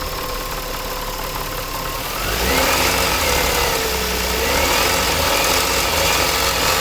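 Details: 2000 Nissan Maxima, 203,000 miles, warmed up: steady rapid knock about four a second over a gritty grind that follows engine speed, louder above 2,000 rpm; owner suspects timing chain or a bad pulley, unconfirmed.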